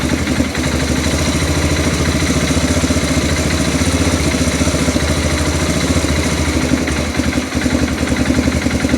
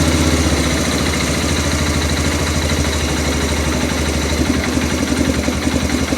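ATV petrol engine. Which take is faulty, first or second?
second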